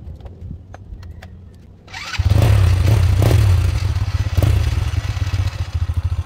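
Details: Motorcycle that would not start: quiet, then the engine catches near two seconds and settles into an even thumping idle, about three and a half beats a second; normal start and idle.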